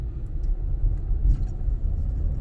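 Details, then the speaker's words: Ford Taurus X wagon driving after replacing both front stabilizer links and greasing: only low, steady road rumble over small chattery bumps, with no clunks or thuds; quieter on the highway. "no more clunky feeling going over little chattery bumps uh it's a lot quieter on the highway now where it was kind of noisy"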